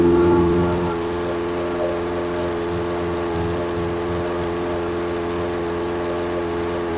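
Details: Briggs & Stratton engine on a 22-inch Toro Recycler mower after swapping an aftermarket carburetor for the original OEM carb: steady, even hum with no surging; running smooth and healthy.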